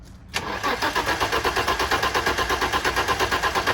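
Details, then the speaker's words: BMW E30 325i cranks but won't start: starter churns evenly about three beats a second for over three seconds, never fires; no gasoline smell, owner suspects fuel not arriving, though starting fluid also failed to run it. "Yeah, I think it's just the fuel is not coming in for some reason. So because I don't smell no gasoline and nothing."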